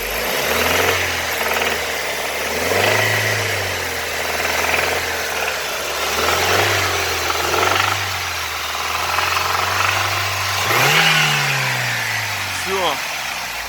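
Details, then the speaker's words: BMW E46 N42B20 engine, warm, blipped above about 2000 rpm: light tapping rides over each rev, fading at idle; absent cold and at idle; chain and tensioner checked fine, old oil, camshaft fault codes and check-engine light; cause unknown. "Трохи щось підстукає, не знаю що, і висвітиться, коротше, чек."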